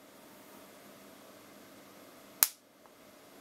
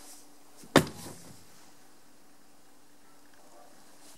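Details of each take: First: Bench demonstration of why electric cars such as the Model 3 use a precharge: an uncharged capacitor connected directly to a battery. A single sharp crack, the spark from very high inrush current; the fix is a series resistor to limit the current. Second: Electric car (Tesla Model 3 discussed) switching off: one sharp clack in near silence, then a faint thunk as the background hum cuts out; the battery contactors opening normally at power-down.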